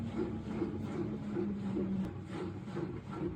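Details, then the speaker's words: LG washing machine diagnostic self-test, final spin stage: steady low hum with soft rubbing swish about twice a second as water drains through the tube; normal drain pump and spin sound. "And obviously it's still continuing to drain the water through the tube there. That's the sound that you're hearing from the vacuum."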